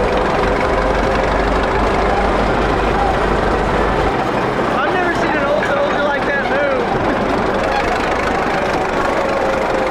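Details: 1941 Caterpillar dozer, sat for a few years: steady, even diesel idle with no knocks or misses at low fuel; it will only idle so far, more fuel needed once that stuff is cleaned out.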